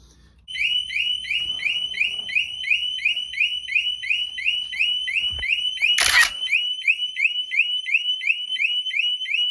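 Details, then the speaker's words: Harley-Davidson motorcycle, new battery: disconnecting the negative post trips the bike's security alarm, a loud, piercing, steady warble about three times a second, stopped only by reconnecting the battery. "And when I did this, this alarm went to screaming. I couldn't even stand it in here."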